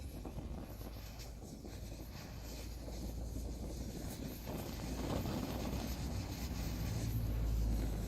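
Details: Primus 70 paraffin camp stove after renovation with a new jet, running on Coleman fuel, possibly overfilled at the bottom: low, rough roar that slowly builds and steadies as the burner heats, even flame with no sputtering or popping.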